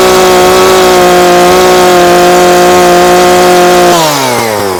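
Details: Husqvarna 340 chainsaw after carburetor diaphragm replacement and high-speed screw adjustment: strong steady high note at full throttle with slight burble, no screaming, then revs drop away; mixture correct.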